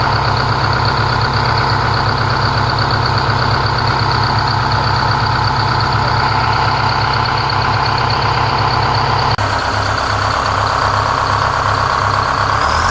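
Deep, even diesel throb holding steady with no knocks or whine; the drivetrain sounds healthy pulling under its own power.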